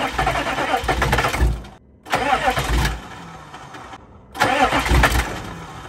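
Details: 2000 Chevrolet C3500 4x4 turbo 6.5 L diesel, sat for years, with WD-40 in intake: short bursts of steady cranking with pauses, never catches; no fuel from the fuel pump, crank no start with suspected lift pump failure.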